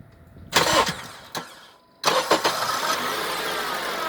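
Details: Honda CR-V that won't start with ignition on though lights work, headlights go off; after tester check and reconnecting cable to positive terminal, brief cranking bursts, a pause, then it catches and settles into steady idle; cause not yet found.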